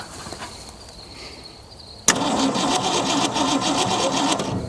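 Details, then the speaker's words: Junkyard 1965 Mustang, 289 2V V8, four-speed manual, sat 30 years: cranking about three beats a second with a hard clunk each turn; oil pan bottomed out or crushed, owner suspects crank scrubbing the pan. "We'll turn it over. It's making a weird clunk sound. I'll show you why."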